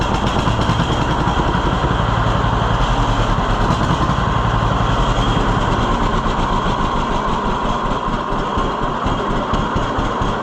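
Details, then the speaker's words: 1948 John Deere B two-cylinder tractor after Wico X magneto maintenance: slow steady chuff at a lower idle than before, every beat present and no longer firing on only one cylinder. "All right, How low will it idle? Yeah, I don't think it would have done that before. I think that really made a difference all this time. It's not missing."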